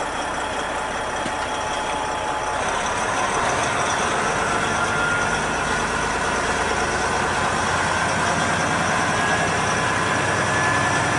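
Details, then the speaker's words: Big truck for local work, after cleaning starter cables: starter drags engine over slowly, about three and a half labored turns a second, but starts each time; owner plans to change the starter and test the batteries for a bad one dragging the bank down. "but listen to how slow this thing drags at least it's starting every time now"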